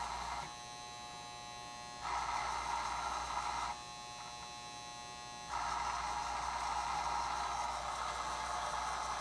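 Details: Reconditioned Lionel 027-gauge postwar operating barrel loader set with the throttle up a little and the control button pressed; buzzing hum switching on and off as power is applied, steady and even while running; vibrator mechanism working normally.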